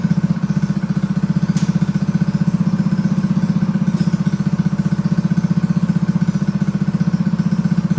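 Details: Honda GX200 clone single-cylinder engine clamped to a table stand, choke on, first start after build; fast, even thumping at a fairly high idle with a clattery edge; needs rejetting.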